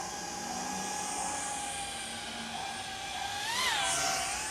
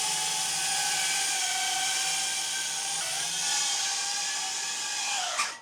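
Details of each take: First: 4-inch dual-purpose FPV quad with an O3 air unit, flown in air mode: high, even motor whine bends up and down in pitch with throttle, smooth with no roughness. Normal flight. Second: Airborne 4-inch FPV drone: high, steady motor whine with a ringing tone on top that steps with throttle, then cuts out. Owner suspects frame or prop-guard resonance; one motor earlier ran hot; cause unconfirmed.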